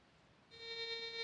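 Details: Induction balance metal detector, volume at maximum, threshold knob raised slowly with the coil held 5 cm above ground: quiet background, then a steady thin buzzing tone holds evenly; normal threshold tone.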